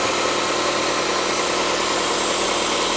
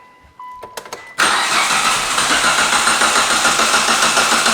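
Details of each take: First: 2006 Mitsubishi Lancer ES, left unused in a storage unit about 4–5 years with five-year-old fuel, first start: steady even idle with smooth hiss, no ticking or knocking; runs cleanly. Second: 2006 Mitsubishi Lancer ES sitting about four to five years in storage: steady rhythmic cranking, spins over freely (not hydrolocked) but never catches; crank no start, owner suspects five-year-old bad gas.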